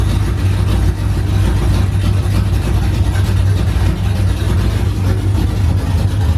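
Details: OBS truck V8 finally running after fixes, straight open headers, first fire-up in the morning: deep, loud, even rumble with no stumbles or surges. Steady healthy idle, running fine as supposed to.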